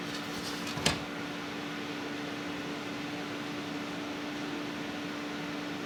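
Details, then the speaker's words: Scythe Fuma 2 Rev. B dual-tower CPU cooler on a 5800X, fans at full 1500 RPM (25% more than the original), about +4 dB measured from 20 cm: even whooshing airflow with a steady low hum and one small early click, normal fan noise. "Noise-wise, 1500 RPM does result in about plus 4 decibels measured from 20 centimeters away, and let's just take a quick listen to what that sounds like."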